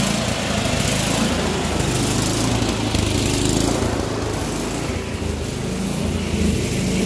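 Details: Troy-Bilt Storm 24-inch snowblower after clearing air vent obstruction, adjusting float tab and new spark plug: small single-cylinder runs fast and steady with even exhaust note and no misses; running well.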